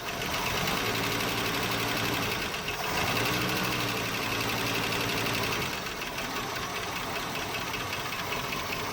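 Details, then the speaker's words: 1976 Postal Jeep parked for years, idling after revival: steady idle with a sharp, even knock about four a second over valve-train clatter; no oil pressure on the gauge, little smoke, owner suspicious of oil supply; engine knock at idle, cause unconfirmed. "You can hear valve train. You can hear a lot of things. It's a shame, it runs so good."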